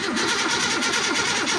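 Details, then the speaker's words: Car sitting almost 20 years, engine not locked, no throttle hooked up: uneven labouring crank with pulsing whirr about four beats a second and no catch; starter in poor shape, engine has compression but won't fire. "So, well, the starter's not in the best of shape, but okay, that's promise."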